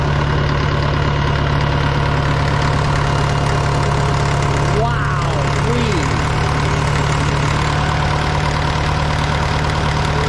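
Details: Caterpillar 955L track loader diesel, sat unused for years, just started on old fuel: steady, deep, even idle with no knocks or misses; ran really well; normal idle.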